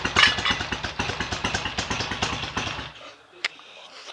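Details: BSA A65 twin on its first run after a full rebuild, smoky from about 1.5 pints of oil poured into the crankcases. It barks into life with a quick, slightly ragged exhaust beat for about three seconds, then cuts out; ignition timing may need adjusting. Normal running after rebuild.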